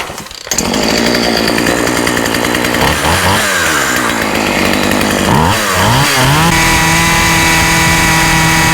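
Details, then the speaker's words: Husqvarna 36 chainsaw after repairing a lead nicked down to the wire and refitting earth lead: steady, clean high-speed buzz with no cutting out; runs, stops and runs consistently. "The chainsaw runs, it stops, it runs consistently."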